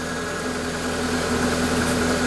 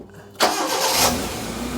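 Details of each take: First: Proton Wira being returned to the road after 12 years of storage, airbox off, running on old fuel: steady idle hum with slight unevenness, a touch rough just after starting. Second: Proton Wira being returned to the road after 12 years, after new steering rack boot, fuel pump now silent, still on old fuel: quick crank, catches cleanly and settles into an even idle with no stumble or pump whine. Slight lumpiness blamed on the old fuel.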